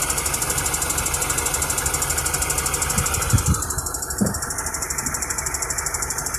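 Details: 2011 Mini One petrol engine idling with a fast, light, regular tick that comes and goes and doesn't change with engine speed, plus a couple of dull knocks. Still undiagnosed.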